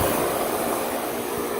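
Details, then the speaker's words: Old ICP/Tempstar condenser (1990) in about 90°F heat: a loud rushing roar with a harsh high whoosh. The fan motor, apparently a new replacement, is the wrong one and overspeeds; the line isn't cold. "This thing sounds horrible. It's actually the wrong fan motor in this thing. It's spinning way too fast."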